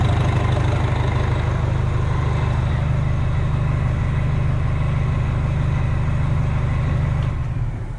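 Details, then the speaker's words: Rebuilt Detroit diesel, first start after valve adjustment and injector setting, 60 psi oil pressure at idle: deep, even idle with a steady low beat and no knocks or misses, settling smoothly before shutdown; normal idle. "60 psi at idle. Pretty happy with that."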